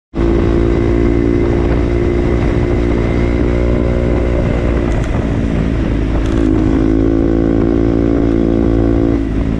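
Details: KTM Duke single running steady: a loud, constant metallic clatter over the exhaust note, easing briefly mid-clip; an abnormal mechanical noise, source unknown.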